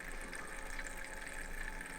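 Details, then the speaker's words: Thermalright 360 AIO on a test bench, pump at 65% in software: a quiet steady pump whine with a gurgling, trickling swirl over it, from air bubbles trapped in the loop churning through the pump. "so if you look at my screen here like it's at 65% it's just making so much bubble noise and and and pup noise out of it"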